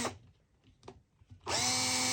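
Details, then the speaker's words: New, never-used 2008 Makita cordless drill with an old-style battery, running free: short pause, then a light, even, high whine with no grinding. Quiet, normal free-running motor. "Sounds like a little toy, doesn't it? Sounds like like a little toy."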